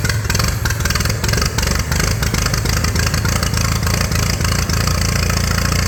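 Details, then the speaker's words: 1941 Case SC tractor, long dormant, first run with carburetor only halfway adjusted, no coolant: lumpy uneven low idle with loose clatter, barely hanging on; idle speed set too low. "idles are down too far got to hold on to the fuel tank so it doesn't fall off"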